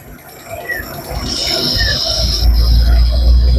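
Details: Daihatsu Coure engine: a thin high whistle over low engine rumble stops when the hose is pulled and swells again when it goes back on; mechanic suspects the vacuum pipes were connected the wrong way round, letting the engine draw air.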